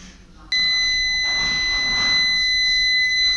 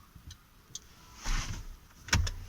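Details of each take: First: Peugeot 307 with the right brake light not working. A multimeter gives a steady continuity beep between the burnt ground terminal and the adjacent brake-light terminal in the rear light connector. This short burned out the VNQ830 driver; poor contact was the root cause. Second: Peugeot 307 after brake light fault repair (VNQ830 output replaced with relay plus diode and fuse): crisp single relay clicks as brake pressed and released, no buzzing; both brake lights now work.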